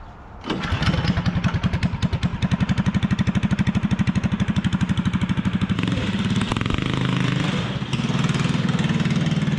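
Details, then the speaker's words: Fiero go-kart small engine after repairs, with body, muffler and intake back on and everything greased: starts cleanly and settles into a quick, even thumping beat around 150 a minute with no misses; runs normally, now faster than before. "it may be too fast now it's faster than it was"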